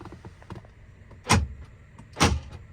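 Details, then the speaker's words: Jeep with newly fitted, unglued inner door lock pin covers, automatic locking while driving: two sharp power-lock clunks with light plastic rattling and ticks, a pin loose inside its cover, mainly on the driver's side. "it automatically just locks the door locks you can hear it rattling and I hate that noise"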